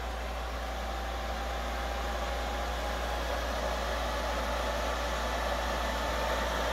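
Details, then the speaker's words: Older desktop PC with Pentium D 3 GHz running warm and stock Intel cooler with Cooler Master fan, believed about 4000 rpm: steady loud rush of air with faint whistle, fan running flat out as the CPU overheats. "that's one of those uh i think it's a 4 000 rpm fan that they put in these"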